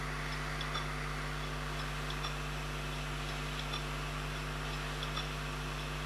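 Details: Failed Seagate Barracuda 3TB drive on its SATA base, powered up: light repeating ticks about every half second with a scrape over a constant low hum, clicking instead of coming ready; cause unknown, owner doesn't believe it was dropped.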